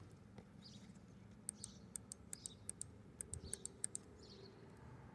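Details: Honda CBR600RR fuel injector bench-tested after cleaning, rubber square seals on bottom: crisp, sharp ticks with each power pulse in a quiet room, about a dozen in three seconds; healthy injector clicking.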